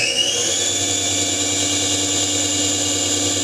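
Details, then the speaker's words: Syil X4 CNC mill, over 10 years old, with a 750 or 1,000 W three-phase motor driving the spindle via a toothed belt: steady, smooth high-pitched whine with no knocks at maximum speed of about 5,560 rpm; healthy spindle. "It might be 750 or 1,000 watt 3-phase motor on the top that drives a spindle via a toothed belt, and which gives me a maximum speed."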